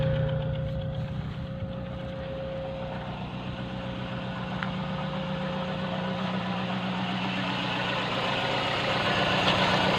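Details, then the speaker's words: Petrol engine at idle: rough, lumpy running with a chuffing beat about four times a second and shaking from the exhaust, a misfire from a spark plug not working. "hello and welcome when you see making shaking running from the exhaust that means there is a skist fire that means there is a misfire all of your plugs is not working"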